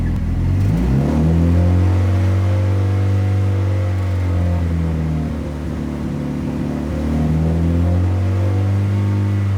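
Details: Fully built Evo 9 on first start, engine revved from idle to about 2000 rpm, held and eased back with an even tone; normal revving.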